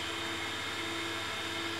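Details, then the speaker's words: Haas VF1 7,500 RPM spindle after gearbox rework, shifted into high gear at about 5,000 RPM, not fully warmed up, covers off: a steady, smooth high whine with no knocks or grinding, so normal spindle running. "considering the covers off and everything like that that sounds pretty good"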